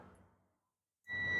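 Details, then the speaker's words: Perodua Axia air-conditioning compressor relay (aircond not cold) bench-tested with a continuity tester: after a second of quiet, a steady high-pitched beep holds, showing the contacts close; relay is good. "ada bunyi bip nah nampak ah nampak ada bunyi bip Manya relay oke"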